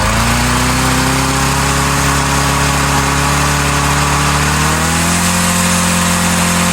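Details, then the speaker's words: Auction-lot lawnmower with auto choke, carburetor tampered and choke unhooked: once running, small engine screams at far-too-high rpm and climbs higher, over governed speed from carburetor misadjustment; it then blew up. "Choke turned off and it just started running correctly. It was way too high of RPM. I should have checked it and I didn't. I just let it go. It blew up."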